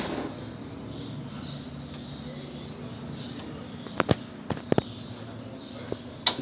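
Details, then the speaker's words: Microwave that was noisy and not heating, after replacing the capacitor and diode, fan disconnected because it vibrated: steady low even transformer hum, no harsh buzz, then handling clicks; normal operation. "solamente está escuchando el transformador el ruido normal"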